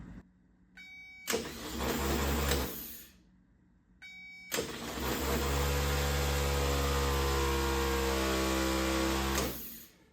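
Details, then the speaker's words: 1970 Triumph TR6, third starter, a donated, reportedly freshly rebuilt K&P Electrics unit, bench-spun after two weak ones: two strong spins with steady even whine, no grinding; healthy starter, sounds much better. "okay that sounds much better so one more time we have to switch starters"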